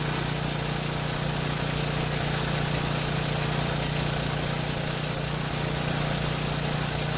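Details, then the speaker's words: Small generator engine that ran only on choke, after cleaning partly clogged carburetor jet buildup: even steady drone at constant speed, no hunting or surging, running smoothly off choke; normal running. "so it looks like that was the problem there was a buildup in the jet that didn't clog it completely but it was certainly on its way"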